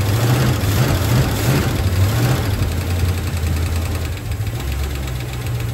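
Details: 1966 Ford Mustang GT convertible V8 after sitting over 10 years, after fuel filter leak tightened: deep steady rumble idling evenly with slight lope, no misses or knocks; oil pressure good, no leaks found; normal idle.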